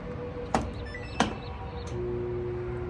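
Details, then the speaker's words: Samsung dryer (motor DC31-00055G/H), in for service; two sharp clicks, then a steady low electrical hum from the failing drive motor, which is then swapped for one from a parts unit. "do you hear it do you hear it it's the motor it's the motor"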